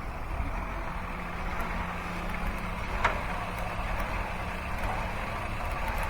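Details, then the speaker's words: Car with alternator and battery light codes and a check engine light, idling weak: steady idle with faint irregular sharp snaps from a visibly arcing spark plug wire, no misfire code set. "i can hear a spark plug while arcing too you hear that you can see it look see that that little spark i'm surprised it doesn't have a misfire code that's odd"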